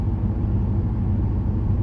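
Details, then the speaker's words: 2008 Pontiac Grand Prix GXP V8, after a Thrush welded muffler install, cruising around town: low uneven exhaust drone with a faint pulsing flutter, like a misfire, as Active Fuel Management cylinder deactivation kicks in; normal, just more pronounced now. "it's just kind of like uh like the motor is missing like it's like fluttering i can't explain it it's not bad i'm not annoyed by it i just know that it's there"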